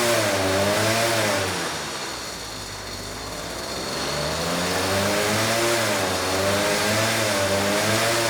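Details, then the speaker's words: Vintage Huffy two-stroke motor bike on a trainer after pedal start, cold and unloaded: buzzy note climbs and falls smoothly through several blips with clean pickup and no misfire; healthy, carb jetting possibly slightly off. "it works yeah I wasn't sure that was going to work but it actually started pretty quickly and ran halfway decent so you know the engine sounds healthy"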